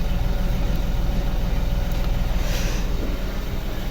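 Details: Chevrolet Beat diesel engine after overhaul, idling: a steady, even low diesel rumble with no knocks or misses, running healthy.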